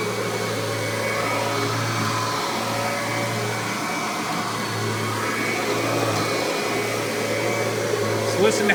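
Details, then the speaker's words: Kirby G3 Ultimate upright vacuum prototype with newer replacement transmission, tech drive self-propel engaged: steady motor drone, low even hum, no whine, grinding or clicking; owner credits quiet to gear ratio. Normal. "quiet that transmission is you can barely hear it which is one nice thing about these newer replacement transmission mostly has to do with the gear ratio"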